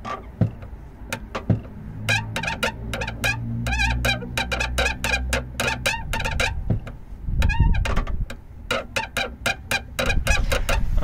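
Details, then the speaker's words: Fiat 500 with a squeaky, stiff clutch pedal, camera at the slave cylinder while the pedal is pumped: sharp chirping squeaks repeat with each pump over a quiet background; the clutch slave cylinder is squeaking. "I'm just going to pump the pedal so you can see what the noise is from here."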